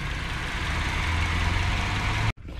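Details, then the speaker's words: Honda CR-V (2001 or 2002) idling after full service with new water pump and new belt (old belt had snapped): steady, even low idle with no misses; earlier shaking and smoke now gone, running smoothly. "so now we install the red pads on the back and we'll be all right see no shaking and no smoke"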